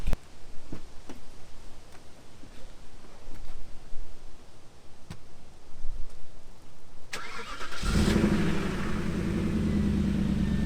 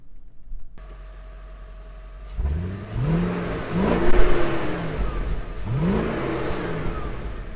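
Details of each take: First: 2002 Audi A8 D2 V8 with its bank 1 catalytic converter stolen and a makeshift fix, cold start before repair. Ticks, then a loud, raspy, rough idle with open exhaust noise; exhaust leak from the missing cat. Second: 2002 Audi A8 D2 V8 after the shop fixed its stolen bank 1 catalytic converter, heard while driving. Smooth, subdued engine note rising and falling through revs, no rasp or rattles; exhaust now quiet and normal.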